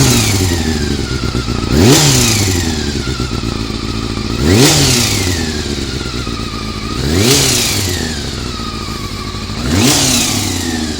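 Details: Honda CBR400RR four-cylinder after riding at Ebisu Circuit: high-rev blips about every three seconds with harsh metallic clatter; abnormal engine noise, suspected cam gear train, unconfirmed.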